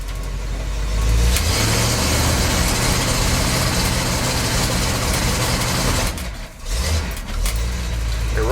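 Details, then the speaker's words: K30 fire truck after new tires and mufflers, on a test drive: runs fine at part throttle but breaks up with an uneven, stumbling beat under heavy throttle; not fuel related, a failing ignition coil dropping spark, replaced afterwards. "good at part throttle but soon you have much throttle she starts breaking up Scottie"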